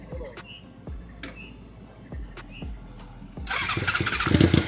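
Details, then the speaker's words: Motorcycle after repair; several slow cranking bursts without catching, then fires and runs rough and uneven, hunting to settle; hard starting, still needs fine tuning. "That's strange. It was working a minute ago, everybody. A minute."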